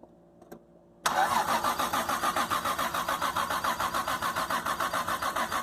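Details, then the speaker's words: 1997 anniversary edition Toyota Supra, single-turbo conversion with swapped engine and no original ECM, MAF or O2 sensors, sitting almost 10 years: starter cranks about 3.5 beats per second, never catches; no fuel smell, years-old gas suspected. "I don't smell gas. Ah! Let's put some fresh gas. That gas is in there for years, man."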